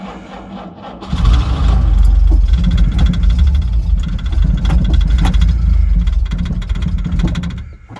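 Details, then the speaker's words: 1968 Jaguar E-type convertible, sat about two years, restarted on a stronger battery with choke and oil pressure showing: engine catches but runs lumpy, not firing on all cylinders, and wants to die when the throttle is touched; misfire, cause unconfirmed. "it's not all cylinders but it wants to I touch the throttle it absolutely wants to [Music] die"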